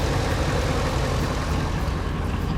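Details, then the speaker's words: 2001 Ford F250 5.4 V8 plow truck idling after replacing cylinder 5 coil (plug already changed) for a bad misfire: steady, even low rumble, no skips, no codes after about 15 minutes; slight exhaust leak remains. "I didn't hear anything. She's idling really, really well."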